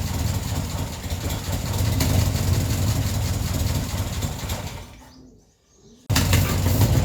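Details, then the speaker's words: Ford Escort neglected 14 years, idling on the fuel left in the carburetor bowl after being flooded, fuel supply not yet sorted: steady, even low idle, dies briefly and picks back up; idles nicely until the bowl runs dry. "So yeah, now it's running nicely, just on the fuel in the bowl, and it just idles really nice."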